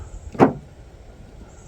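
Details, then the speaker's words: 2020–2022 Kia Telluride/Hyundai Palisade rear liftgate, fully closed and stuck shut, before latch replacement: pressing the button gives two short whirring clicks as the latch motor runs, but no release follows. The liftgate latch is failing to release. "but it doesn't release. Now, first glance, you hear that, you may think, "Oh, it's not closed all the way." Nope, it's completely closed."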